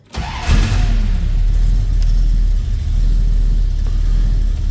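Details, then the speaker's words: 1950 Dodge Business Coupe street rod, rebuilt 360 V8 with Edelbrock 4-barrel and headers: catches instantly on key, flares up, then settles into deep steady rumble with no misses or knocks; healthy start and rev. "baby fires up every time I hit that key. Boom, 360 V8 takes off."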